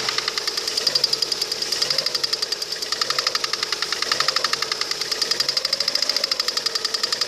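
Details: Lada Kalina 1.4 16-valve engine at idle: fast, light metallic ticking knock from around the timing cover; shifting the timing cover (from 30 s) makes the knock louder or disappear depending on direction.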